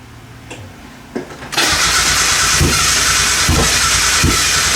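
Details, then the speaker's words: Mazda Miata after PCV valve and hose replacement: starter cranks steadily about three turns a second with no firing; fuel pump not heard, owner suspects relay installed backwards or not seated; crank, no start. "It doesn't. I didn't hear the pump that time. Huh. Maybe I have the relay in backwards."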